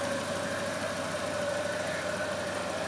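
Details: Volvo 240, first start after months off the road for water pump, timing belt, thermostat, B cam, shims and Redblockpowered ECU/EZK: even idle, no knocks, with a faint whine that owner suspects is the fan, plus a suspected exhaust leak; engine not yet warm.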